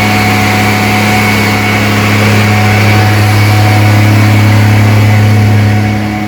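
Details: Rebuilt 230 six-cylinder on first start, cam break-in at fast idle about 2000 rpm, 40 psi oil pressure, 180° temp, timing advanced to about 10° initial; clean even hum easing down, no valvetrain tick; healthy.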